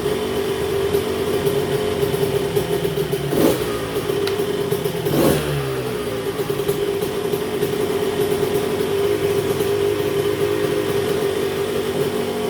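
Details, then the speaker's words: 1990 Honda CR125 two-stroke, first heat cycle after restoration: steady ringing buzz with a couple of short throttle blips, holding speed evenly. Running properly after suspected stuck carburetor floats, air screw later set to about 1¼ turns. "Oh man, it sounds good. It sounds really good. I am so stoked."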